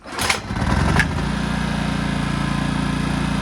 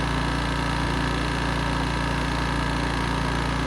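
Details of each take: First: Honda EX650 flathead generator from the 1980s, engine dead cold, hard starting (normally ~10 pulls): a quick rattle, then it catches first pull and settles into a steady, even chug, indicating lean fuel starvation. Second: 1980s Honda EX650 generator, flathead engine, after choke cable fix for hard starting, started within a few pulls: steady, even chug at settled idle with no misses or surging, no load yet; normal idle.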